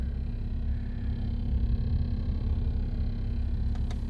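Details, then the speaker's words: 2024 Toyota Tundra idling in reverse, not moving, with a low steady buzz from the dash area over the engine rumble; quieter in drive, also in park; an ongoing issue for two years. "Buzzing sound, I just put it in reverse. Not moving. But there's a buzzing sound from coming from the dash area."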